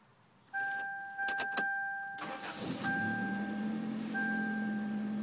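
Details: 1993 Toyota Corolla cold start: after a short crank it fires and idles with a steady low droning buzz on top, a vibration sound heard only when cold; cause unknown.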